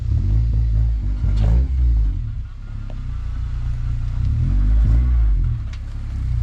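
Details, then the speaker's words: Nissan 300ZX with a KA24DE engine swap, driving over a small bump: a steady engine drone with no knock or clunk from the suspension, which loudly clunked before. The suspension clunk is gone. "I didn't hear it clunky when you went over that little bump there yeah no it's it's silent sick yeah before it was like mad clunking"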